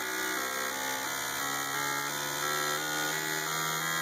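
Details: Fuel injectors from a 2012/13 Ford Ka with a low-rpm and tip-in misfire complaint, pulsing on a cleaning/test bench during a roughly 30-second test: fast electric buzz stepping evenly through pitches, spray well matched; normal injector operation.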